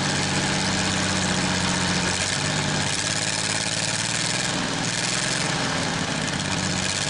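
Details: Worthington tractor, Chrysler industrial 218 flathead six, first start in decades: idling steadily on all six cylinders after picking up, with hiss and clatter; water pump bad and rattling.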